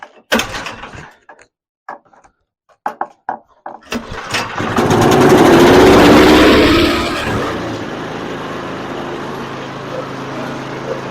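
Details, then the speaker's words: Newer TroyBilt snowblower that wouldn't run, earlier not reaching full throttle, throttle setup or gummed carburetor suspected: several cord pulls, then it catches, revs up and settles into a steady, even run. Now running properly. "okay that's much better"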